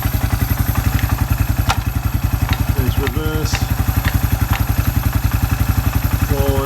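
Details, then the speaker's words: Suzuki Quad Runner 250 under restoration, exhaust refitted and new TC crank oil seal, shifting from neutral into gear: even thump about four beats a second, soft clunk into gear, no grinding; transmission running through all its cogs properly. "Transmissions running through all its cogs properly"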